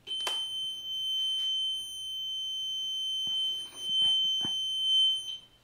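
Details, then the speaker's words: Piaggio MP3 400 scooter, ignition on: steady high-pitched warning beep sounds continuously when trying to lock the hydraulic suspension, with the suspension-lock warning light lit steadily; earlier it beeped as soon as ignition was on; suspension lock fault. "mamy taki sygnał dźwiękowy i zobaczcie sobie że świeci kontrolka cały czas świeci kontrolka"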